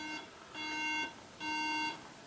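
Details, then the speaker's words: MacBook Pro: three steady buzzy half-second beeps at power-on signalling no usable memory. "as you see it beeps three times let's hear the beep one more time three times"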